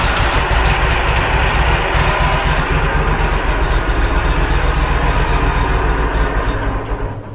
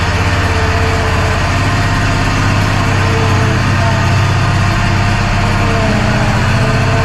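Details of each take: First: Walker SuperBee 52in rear discharge mower, parked since April, on jumper pack, priming left tank: long cranking at about four beats a second with irregular catching then dying; fuel starvation. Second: Walker SuperBee 52 in rear-discharge mower after fuel and ignition fix, spark plug wire seated properly: steady, even engine beat with no misses or knocks; running normally.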